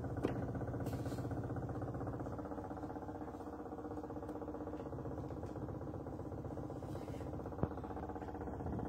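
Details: Neighbour's washing machine heard through the wall, 10 February 2024: muffled heavy rumble pulsing about 2.5 times a second, steady throughout; loud rumbling during the spin cycle, cause unclear.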